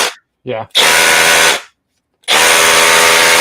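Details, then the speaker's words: Milwaukee M12 SDS hammer drill after opening and fixing mode switch: short bursts of hard rapid hammering at full speed with clean starts and stops; hammer mode engaging properly, previously hard to switch, possibly due to excess grease and spring tension. "yeah that's what it should sound like and if you go back and you watch another video working on this you can see what it sounded like before"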